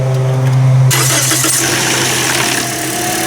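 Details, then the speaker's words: Toyota Corolla first start after repairing rodent-chewed wires with the battery disconnected: starter whirs, engine catches, then a light chain rattle from the front over the fresh idle; not confirmed. "a little bit of a chain rattle in the front there you hear that mhm I heard that sounds pretty good"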